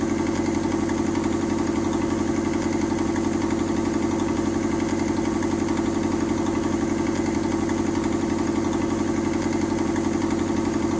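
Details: Mazda 121 Metro engine idling with an exhaust leak; steady even idle with a fast puffing, chuffing edge pulsing with each firing.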